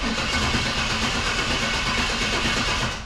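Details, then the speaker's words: 1946 Cadillac with big-block Chevy V8, first start after sitting about eight years, fresh premium fuel: smooth, even, surprisingly quiet burble at idle with no knocks or misfires before shutoff; runs healthy. "kind of surprised at how quiet this thing is. I was expecting this thing to scream."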